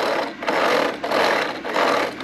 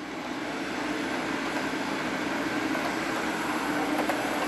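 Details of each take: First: Hornby model train set: rapid rattling clicks in bursts as a coach not seated correctly on the rails has a wheel striking the track sleepers. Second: Hornby train set locomotive at about half power on the controller: steady motor hum with a light, even rolling rattle as it runs smoothly, normal.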